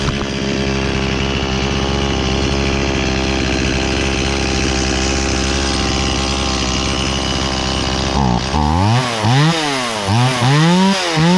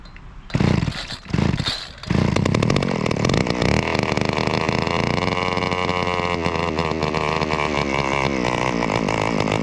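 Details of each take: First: Stihl 018C 32cc chainsaw, sat unused for a year, restarted on choke: steady busy two-stroke buzz, then four or five sharp throttle blips with revs climbing and falling cleanly; starts and runs normally. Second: Trimmer started after a few pulls on choke, then a loud, rough, raspy two-stroke buzz that holds steady with a slight wobble; owner blames string still on the head and thinks the carburetor may need work someday.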